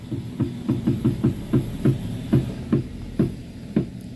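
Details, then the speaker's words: Avanza/Xenia-type car front wheel while steering is turned: dull low "tek tek" knocks a little over once a second, from the inner tie rod joint. "Nih itu bunyinya ya, Teman-teman. Bunyinya tek tek."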